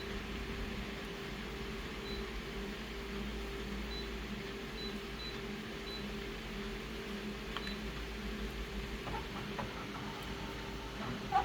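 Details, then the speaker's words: Aging photocopier printing a folded pamphlet: steady motor and fan hum with light irregular rattles from the paper feed; wear suspected, not confirmed. "there goes the uh the uh feed you just heard that sound that rattling sound yeah this photocopier is getting old"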